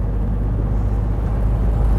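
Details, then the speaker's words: 1957 Porsche Speedster flat-four with rebuilt dual Zenith carburettors, road test: deep, even rumble pulling cleanly from second into third gear, no misses, knocks or rattles; normal acceleration. "the speedster is an interesting car to drive the shifter is way further forward than your typical 356 but yeah now we're in second gear and going into third gear"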